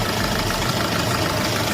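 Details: Diesel engine idling with a harsh, rattling knock and heavy black smoke, traced to faulty injectors leaking back too much fuel; injectors need replacing.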